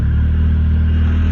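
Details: 1994 Honda Civic hatchback after ignition lock cylinder replacement for hard starting, started with second new key: engine catches and settles into a steady even low idle with smooth deep hum; normal idle.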